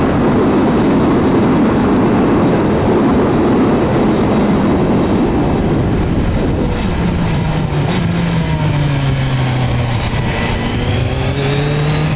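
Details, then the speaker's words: Kawasaki Z900, lapel mic wrapped on handlebars while riding; thin ringing, scraping tone sliding with road speed, heard when accelerating past a certain speed and gone on engine braking; brake found dragging on one side, intermittent. "so what you're going to hear is the the noise that it makes and it's all over the place it's intermittent I say intermittent when you accelerate to a certain speed you start to hear it when you get off the power and engine brake you cannot to hear it"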